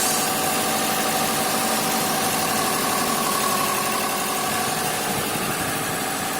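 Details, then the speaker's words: 2005 Subaru WRX wagon after replacing both valve cover gaskets and spark plugs: steady even idle with constant hum, no misses, knocks or ticks; running smoothly. "Engine's idling good."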